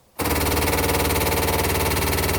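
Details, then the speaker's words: 1975 Jaguar XJ6 with a stalling problem, ignition on with the engine off: fast, even clicking from the SU electric fuel pump priming and holding fuel pressure; the pump works normally after getting 12 volts. "definitely working. And that is fuel pressure. The clicks you hear every one, that's just maintaining pressure."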